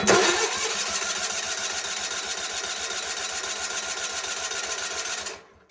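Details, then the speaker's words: GT/18 after new ignition system, coil and spark plug wire fitted; starter cranks at a quick even beat for five seconds, never catches or coughs; crank no start, spark not yet checked, normally fires right up. "Nothing yet. I don't got anything. Not starting. I didn't check for spark, so I guess we should probably check for spark."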